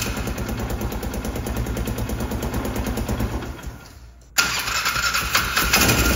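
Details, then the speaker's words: Polaris Ranger 500 side-by-side, reportedly sitting since 2020, air filter put back in; slow, uneven cranking churn with a wet rushing hiss, pause, more cranking; water ingestion, with the exhaust full of water. "the hell was that sound like a bunch of water russan holy the exhaust is full of water that's what that water rushing sound is"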